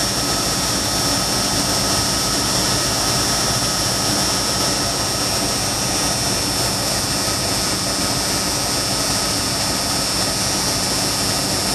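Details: 1996 Dodge truck with 5.2 L V8, after new spark plugs and replacing a coil wire that was shorting on the exhaust manifold, misfire codes cleared: steady, even idle over a constant hiss with no skipped beats; normal idle, no misfire.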